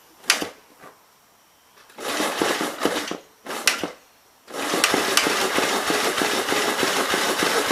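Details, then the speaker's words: 1951 Gravely Model L tractor with Wico magneto, missing fuel bowl, oil spitting from the muffler: ragged cranking bursts, then a rough run once fuel is splashed on the air cleaner; fuel likely not reaching the carburetor. "so we're still spitting oil out the muffler [Applause] i don't know that we're actually getting any fuel up to the carburetor though or down through it so give her a splash down on the air cleaner and see what it does"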